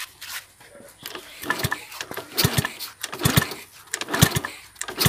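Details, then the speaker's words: Palm-oil hauling motorcycle with no spark, even after swapping in a tester CDI: repeated kick-starts about once a second with mechanical clatter and no firing; traced to a disconnected black-white kill wire from the CDI. "Kok bisa Kagak ada apinya Berarti ada kemungkinan kabel yang putus nyambung ya kita cari dulu permasalahannya"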